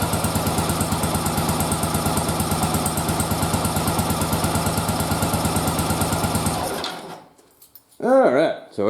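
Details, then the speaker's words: Motorcycle V-twin, old carbs after bench sync, running sync with loop-tube manometer: uneven lumpy idle with loping beat about once per second; carbs well out of sync. "we can see it's off quite a bit I put my fingers up there just in case you couldn't see"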